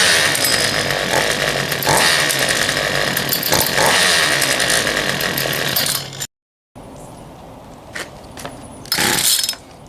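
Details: Poulan Pro 222 38cc chainsaw after correcting fuel line routing (fuel return line had been missing), new air filter fitted: loud, even high-revving two-stroke buzz holds steady before cutting off; saw starts and runs cleanly.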